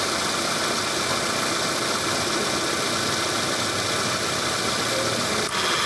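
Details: Car AC compressor at engine idle: rough, continuous snoring growl with gritty hiss on top, given as a sign of a failing (rusak) compressor; not confirmed.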